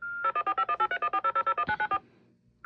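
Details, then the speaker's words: Alarm panel on a phone line shared with the fire alarm panel dialing the central station: about fourteen quick, evenly spaced two-tone beeps for the alarm and the restoral, a pause, then a steady acknowledgement tone; normal report transmission. "acknowledgement and that's it so that's what it sounds like when an alarm reports one of those fast beeps was a alarm and then the other one was the restoral"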